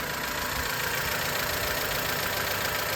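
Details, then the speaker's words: Honda Element after a valve adjustment and valve cover gasket job done to fix a misfire; misfire code just reset. Steady, even idle, slightly loud, with a busy top-end clatter but no missed beats or stumble. Normal smooth idle. "you definitely don't want to smell it and it's it's a little loud and that's okay but it is running very smooth and that's that's kind of what you're looking for"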